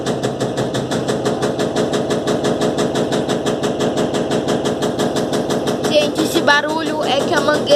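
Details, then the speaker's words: Electrolux LTE12 washing machine, suspension test during spin, recorded from behind: fast steady banging about two knocks a second as the drain hose slaps against the drum. "mangueira tá batendo no cesto da máquina. Barulheira, gente, porque"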